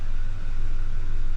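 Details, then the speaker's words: 2005 Ford F150, broken-into truck, warm at 180°F idle: low, slightly uneven pulse, no clear miss. No trouble codes, but fuel trim 18% lean and manifold pressure 9 inHg; owner suspects a major vacuum/air leak, to smoke test. "Oo, it's running kind of lean. Got a fuel trim at 18%."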